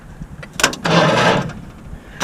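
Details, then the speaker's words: 1959 Ford Fairlane demolition derby car with 1987 Lincoln Town Car 5.0 302 EFI V8, sitting a while; short sluggish crank that nearly catches then dies. Starter not frozen; both batteries suspected shot, needs more juice. "damn it wants to start though yeah so that's better than what we had the other day yeah it would just hum before it would just go er yeah so that tells me the starter's not frozen which is good we just need more juice these two batteries are shot i think"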